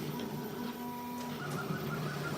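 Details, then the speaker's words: Creality K1 3D printer, fast print: quick busy chatter of head moves over a steady fan hum as the fan kicks in, with a few sharp tones; working normally. "okay so you'll hear the fan kick in and then it's just gonna go crazy"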